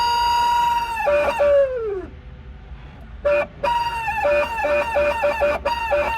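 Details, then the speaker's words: 1977 Porsche 911S Targa barn find, which had sat about 7 years: loud squawks sliding down in pitch, coming and going irregularly over a quiet background; believed to be the fan trying to engage, not confirmed. "What is that? It's the fan. That's the fan. Moving or not moving? It's it trying to engage, I think."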